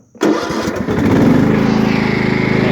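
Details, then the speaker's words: 1998 Craftsman DLT lawn tractor, 16.5hp Kohler Command OHV, freshly tuned with new fuel pump and rebuilt carburetor: brief crank, starts right up without choke and settles into an even idle. "so once i started without choke started right up"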